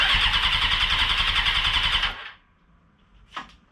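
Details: 1996 Suzuki GSX-R750 SRAD track bike, first start after fitting a second-hand wiring harness, fuel pump priming; two seconds of brisk even cranking, stops without firing; normal starter cranking.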